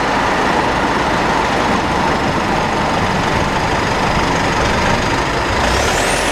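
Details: Mitsubishi with 4N15 engine (V6AWH), recorded inside the cabin: a thin, constant high whine over road rumble. Dealer visits never fixed it. Owner found the rear differential overfilled, front differential oil burnt black and ATF about 1L short.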